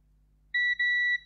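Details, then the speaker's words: Xbox One S 1TB that powers on then straight off, with burnt traces and solder blobs: the meter gives two quick high continuity beeps, so the probed traces are shorted together. It is uncertain whether that is normal. "wow what if those two are connected together yes they are i don't know whether that's okay or not"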